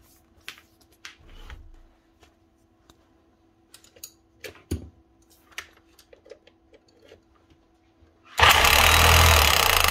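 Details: Kango 900 hammer after the switch was checked and the brushes were refitted: bench clicks and handling, then the motor spins up hard and holds a steady, even full-speed buzz, running cleanly.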